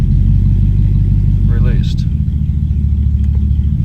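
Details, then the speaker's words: Engine with an oil smell; in neutral, idle speed rises when clutch is pressed and changes back when released; low steady idle rumble shifting pace, cause unclear. "so why does pressing the clutch increase the revs"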